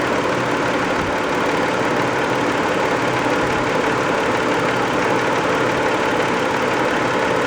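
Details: Warm 1990 Toyota Camry 2VZ-FE V6 idling after a 15-minute drive, with a light even tapping on top; knock appears only when warm, later went away; owner guesses varnish on a shim/bucket, unconfirmed.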